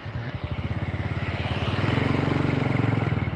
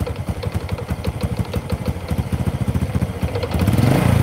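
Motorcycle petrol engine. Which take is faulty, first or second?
second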